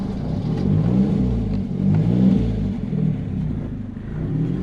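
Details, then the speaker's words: Turbo Volvo with uprated valve springs and new ignition chip: engine pulls up and holds a strong even rev with no stumble; starts fine when cranked with fuel pump off first, suspected excess cranking fuel in map; running fueling not rich. "i mean once it's actually started the fueling's fine it's not rich"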